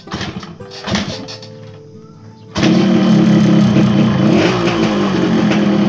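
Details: Yamaha RX-King two-stroke with a newly bought ignition switch and rewired AC-ignition contact circuit, test start: a few cranking tries, then it catches into a steady crackling idle with a light blip, running normally.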